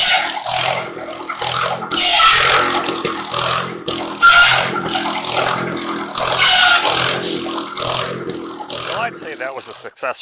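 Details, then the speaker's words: Antique buzz saw rig's Wisconsin THD engine, after clearing a mouse nest to restore cylinder cooling airflow, cutting slab wood: holds steady under load through repeated cuts with no stumbling, healthy running under load. "wisconsins are great little motors very uneconomical they burn a lot of fuel but they're a great motor run run forever if you take care of them"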